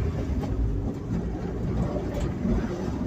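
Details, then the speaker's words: Ford Cortina Mk3 driving slowly after fitting uprated engine mounts: low uneven rumble with irregular rattles, heard from one side with the window down, only when moving slowly. Owner suspects the prop shaft U-joint mount. "sounds to me like that is the um amount for the U-joint on the prop shaft that's what it sounds like I can't think of anything else and it could be yeah I don't like that noise"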